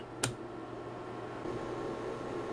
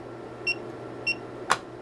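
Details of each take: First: Hioki DT4252 multimeter with gas discharge tube front-end protection, transient tested to failure, battery pack removed: sharp dry snaps over a steady hum as something inside arcs on every transient applied; meter still fully functional; high-voltage arcing breakdown. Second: Hioki DT4252 multimeter after transient surge testing, diode test on one and two diodes: two crisp identical high-pitched beeps about half a second apart, then a sharp click; diode test working properly.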